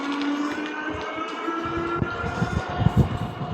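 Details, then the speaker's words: Eskute D300 Adventurer folding fat-tire eBike, 20x4 tires, new out of box, riding about 15.7 mph in pedal assist 2; steady motor whine with light irregular clatter over bumps from a loose reflector rattling. "I don't know if you can hear that little bit of clatter, but that's what that is."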